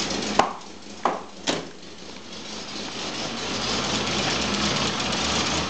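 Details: Volvo 965 2.5 brought back from the dead: a few sharp knocks, then the engine settles into a steady but slightly uneven idle; rough idle.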